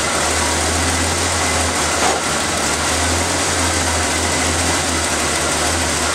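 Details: Engine started after refitting the valve cover, vacuum line clip, air filter and cover, to check for hissing air leaks; smooth even idle with a steady low rumble and no hissing. Normal idle, engine sounds healthy.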